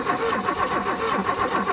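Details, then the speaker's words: Abandoned BMW E30 with 10-year-old gas, after fixing a miswired fuel sending unit so fuel now flows: starter spins engine in even rhythmic churn but never fires; no spark found at the plug, spark issue next. "right oh the fuel looks decent the Lions we got cleaner in the fuel yeah yeah y'all are good on the fuel just need to figure out the spark issue now"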